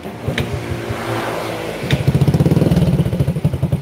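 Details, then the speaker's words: Honda Supra X 100 (NF100), unserviced for 3 years, after combustion-chamber cleaning and cam-chain replacement: catches and settles into an even putter of about four beats a second with no chain rattle; idle smooth and stable. "mesinnya sudah lebih baik stabil langsam stasioner dan suara keteng yang bunyi kemarin itu Ini udah diganti udah oke"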